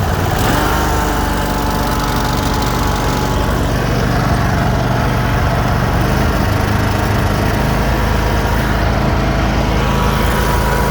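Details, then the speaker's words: 50-inch Cub Cadet RZT zero-turn riding mower, 380 hours: steady, deep engine drone holding an even pace with no misses or knocks; starts right up and runs normally. "Other than that, everything on this thing is operational. Starts right up and runs and drives and cuts."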